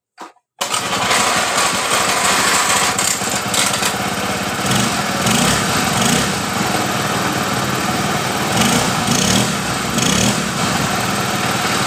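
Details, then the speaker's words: Honda Beat scooter, electrics previously totally dead from a broken magneto wire (owner had already replaced plug and oil), started after ignition checks: starts straight away and runs steady and even, no misses; CVT case noise noted; normal running. "jadi motor ini hidup dengan normal dengan kendala di bagian perkabelan di bagian magnetnya ini dalam keadaan putus"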